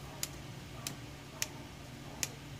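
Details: 4D56 diesel fuel shutoff solenoid removed and bench-tested with a wire, body to negative and contact to positive: four crisp, separate clicks over a low hum, plunger snapping in cleanly; solenoid working.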